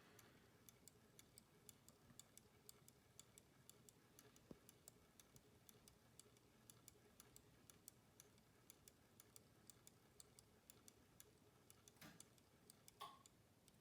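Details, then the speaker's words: Standard Electric Time GRC dual-synchronous-motor clock movement during hourly correction: the drive motor disengages and the correction motor engages, giving a quiet, rapid string of light ratcheting clicks until the hands are corrected; normal operation. "so what this is going to do is it's going to disengage the drive motor and engage the correction motor here there we go you can hear that ratcheting that ratcheting sound that i mentioned"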